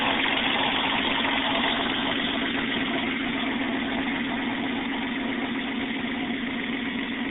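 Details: 1994 Toyota 4Runner, 3.0L V6, after a top-end rebuild: steady, even idle with a smooth unbroken drone and no knocks or misses; normal, healthy idle.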